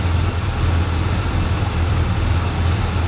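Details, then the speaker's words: Small block Chevy V8 with hydraulic lifters after adjusting rocker arm valve lash with the engine running to cure chatter: deep, steady rumble with an even beat and no ticking or stumble; smooth, healthy idle. "Oh, that's smooth running engine. >> Such a good engine."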